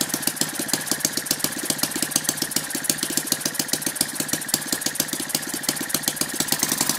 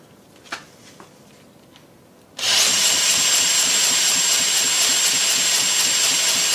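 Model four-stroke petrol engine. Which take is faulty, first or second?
second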